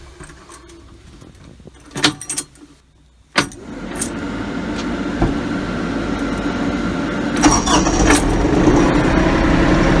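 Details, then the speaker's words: New Kioti CK3510 cab tractor diesel, already warm on an ~84°F day: starter whirr, then catches and settles into a steady, even idle around 1,000 rpm, clean and healthy; normal idle. "That's about where she idles, 1,000 RPM."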